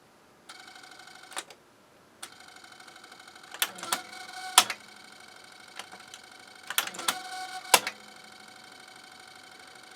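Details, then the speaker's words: Harman Kardon CD 191 cassette deck bought as junk, with a faulty tape transport mechanism: a faint motor hum with scattered clicks as it tries to engage. It won't go into play, forward or reverse and barely moves. "does not want to go reverse does not want to go forward it barely moves does not want to go into play"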